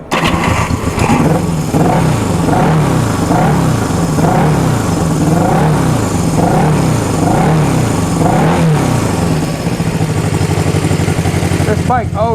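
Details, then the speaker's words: 1974 Honda CB360 cold start with a little choke after adjusting the points to cure cruising stutter: starts straight away, settles to an even twin beat, rises and falls smoothly with throttle blips. "sounds good. Going to get the idle up a little bit."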